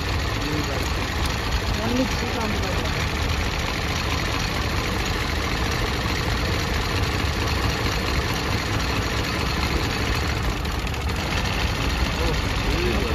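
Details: Hyundai Venue turbo on road test, accelerator fully pressed but barely moving and shaking badly: rough, uneven idle beat with irregular shake; misfire, spark plugs in cylinders 1 and 2 sparking very weakly.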